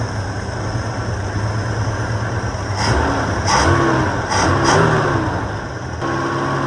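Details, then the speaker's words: Ford XA Falcon inline-six after fixing a freely spinning fuel mixture screw and adding a little timing: even idle with a couple of crisp throttle blips that return cleanly to a smooth, steady tickover; healthy idle. "All right, let's call that pretty good. There we go. Run like an absolute gem."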